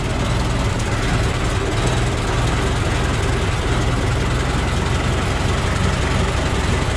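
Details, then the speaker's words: Ford Model T four-cylinder idling after cold start, with new muffler fitted and front exhaust leaks thought to be sealed: steady, low, even idle, soft exhaust note, no puffing or popping; noticeably quieter than before. "i can tell it's quite a bit uh quieter than it was with that new muffler that helps a lot"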